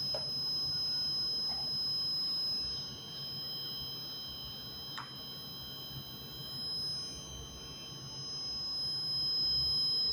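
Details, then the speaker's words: Three-phase DG/mains auto changeover panel in protection mode, Start Fail and Fault/Error indicators lit: steady high-pitched electronic tone with faint warning beeps over a quiet background. "दोस्तों आज मेरे पास में three phase जो panel है उसको मैं आज आया हुआ हूं जो हमारा एक विप की आवाज आ रही है। तो आप देख सकते हैं यह प्रोटेक्शन मोड में चला गया है"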